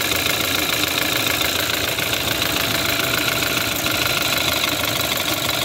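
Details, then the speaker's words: Running engine with a very loud, strong, fast tapping from the top end (valve train) that rises with RPM: bad hydraulic lifter, likely air trapped in it. "as an example here I am checking out this engine it has a very loud and strong tapping noise"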